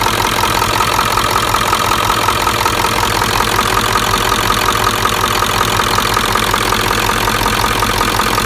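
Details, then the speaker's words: 1996 Ford F-350 7.3L Powerstroke diesel, started for a leak check after the fuel bowl and the cracked, failed fuel pressure regulator were replaced (pressure had spiked over 100 psi or dropped below 20): even clatter at steady idle, no misses. Normal idle. "yeah we're gonna start it up and check for leaks okay gonna start up now you check for leaks for me please"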